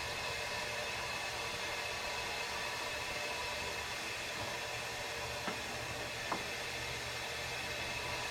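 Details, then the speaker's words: Diesel truck boost leak test with regulated shop air, engine off: steady airy hiss of air escaping the pressurised intake; bent intercooler with a big hole will not hold pressure; boost leak. "this one's got a intercooler bent in it so i'm sure it leaks all over the place but psi yeah you can hear it"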